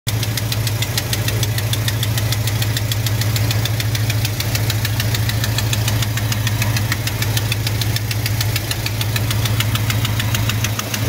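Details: 1971 Chevy C10 longbed V8 idling with deep steady rumble and sharp, rapid even ticking on top, ticking louder than ever; truck also hesitates and won't accelerate.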